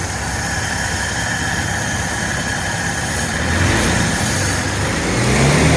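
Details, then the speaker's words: 1948 Dodge flathead six with a new intake, Fish carburetor and shotgun dual exhaust with baffled silencers: steady low exhaust rumble at idle, even and smooth. The earlier tick at the exhaust pad is gone. Normal idle. "sounds pretty good got a little [Music] Rumble definitely took that little tick away at the exhaust pad when it was idling"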